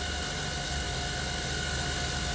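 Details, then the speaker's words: 2008 Jeep Grand Cherokee 4.7L 4x4 idling under 100 A load: steady high-pitched alternator whine; alternator only putting out about 50 A, bad diodes suspected, likely AC ripple and overheating; battery had died, smoke from fuse box. "look at our alternator on there looks like a 50 amps we got bad diodes in this thing i bet there's going to be a whole lot of ac ripple"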